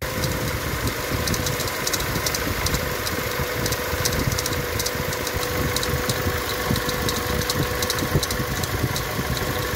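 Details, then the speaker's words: 2019 Toyota Tacoma 2.7 L, after spraying WD-40 on the belt area at idle: sharp metallic ticking and chatter changed, pinpointing worn bearings in the idler pulley; idler, tensioner and belt to be replaced. "Entonces ya al arrancar la camioneta pues ya me di cuenta que el ruido se modificó y eso me indicó que el problema son los valeros de esta polea que es la polea loca y esa es la causa que estaba provocando el ruido"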